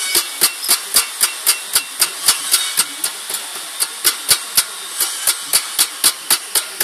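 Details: Pumaspeed muffler: sharp, dry metallic ticks at a steady four per second with almost no low rumble, a knocking from the muffler.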